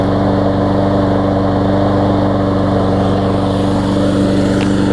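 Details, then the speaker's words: Newer Lawn Boy mower, said to start right up but sometimes not when warm and to run a little rough, after cleaning its dirty carburetor, on the test bed: a steady, even single-cylinder hum with no surging or hunting; running much smoother. "I can already hear it's running much better quite a bit smoother there"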